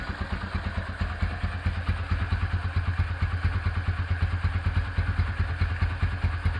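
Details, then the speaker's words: Rebuilt Honda Tiger Revo single-cylinder engine at idle after restoration (carburettor also refreshed, new oil cooler pipe): even, steady thump with a slight uneven puff; carb hisses a little due to BRT camshaft, otherwise runs normally. "Oke, mesin sudah beres. Karbu agak ngeses ya, ini karena pakai karbu pakai noken as BRT."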